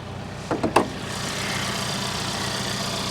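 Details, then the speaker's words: Auction car, GT trim with turbo four-cylinder, 27,000 miles, first start; after a few brief clunks a smooth even four-cylinder idle settles in, no knocks or misses; speaker first expected a V6. "that does not sound like a v6 guys that sounds like a four banger could be wrong though"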